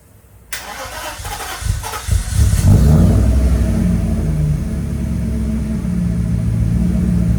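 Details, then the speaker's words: 1995 Mercedes S500 (W140) after the dual-to-single fuel pump conversion and filter replacement: starter cranks briefly, engine catches and settles into a steady even idle with no misses; running beautifully. "well guys she is running beautifully now it's been a crazy day of trying to get her running especially with all this rain"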